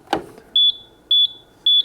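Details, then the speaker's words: Golden Technologies Buzzaround Extreme 4-wheel mobility scooter: a clunk as the freewheel lever moves from drive to neutral, then high steady beeps about twice a second, the five-beep code warning that the lever is not in drive. "so you hear it beeping now and basically it's telling you what that five beep code sequence that your brake lever is not in the drive position"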